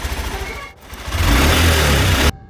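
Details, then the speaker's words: Honda Shine motorcycle after the choked duplicate oil filter was replaced with a genuine Honda filter, fresh oil added, and lubrication done: the engine runs and blips with a deep, even rumble; the earlier knocking is gone. "आणि आता केलेल्या कामानंतर गाडीचा इंजिनचा आवाज किती बदलला हे तुम्ही ऐका"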